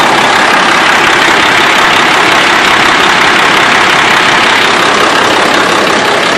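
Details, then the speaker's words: 2005 Freightliner Columbia diesel truck at idle: heavy, uneven, lumpy beat of about three pulses a second; runs really rough with no power, cause not evident. "truck runs, but really rough. Got no power, and you can feel it's like"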